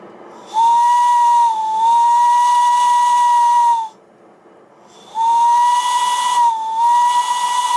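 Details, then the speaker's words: Steam whistle on a Sterling single model steam engine, blown under steam: two clean, steady blasts on one clear mid-high note with a little steam hiss; the whistle sounds strong and healthy. "this next clip is taken from my series my Sterling single and you can hear what the whistle sounds like under Steam"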